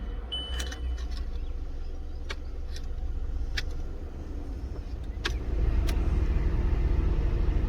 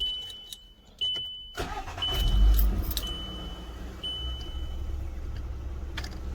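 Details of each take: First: VW Golf Mk5 heater/AC blower: a steady blower roar with scattered sharp ticks and clicks. A loose foreign object is rattling against the spinning blower fan. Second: VW Golf Mk5 A/C-heater blower after repair, on speeds four and three: steady even fan rush with low rumble, no rattles or scraping; the earlier strange noise is gone, blower running normally.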